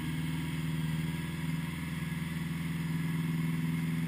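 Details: 1980 Honda GL1100 flat-four after a rebuild, slightly cold start at 54 degrees with carbs synchronised; smooth, even low burble of about four pulses a second with no skipping or tapping, normal healthy idle.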